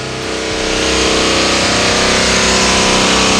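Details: Chrysler Hemi V8 after engine swap, 0W40 synthetic oil: revs rise with a light regular tick about four a second from lifters not yet pumped up; nearly quiet already.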